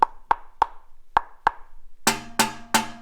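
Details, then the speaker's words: Old aftermarket car muffler knocked by hand: dull taps, then tinny rattly ringing knocks with a buzz; something loose inside vibrating, which caused a rattle at certain RPM on decel and throttle-up; being replaced with a Vibrant Ultra Quiet resonator. "If you listen closely, when I knock on the muffler, you'll hear like a tingy, rattly sound."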